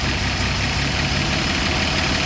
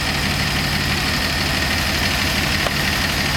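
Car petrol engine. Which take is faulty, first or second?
first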